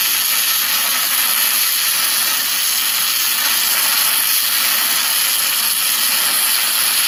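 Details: ArcCaptain MIG 250 running MIG spray transfer for repair welding on a Caterpillar grapple bucket, a high-heat mode with deep penetration and shielding gas: a constant smooth hiss with no crackle or popping at an even level; normal spray transfer arc.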